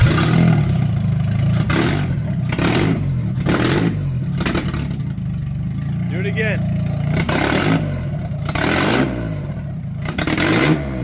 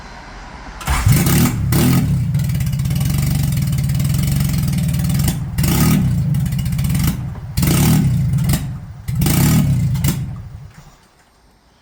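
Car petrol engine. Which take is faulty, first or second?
second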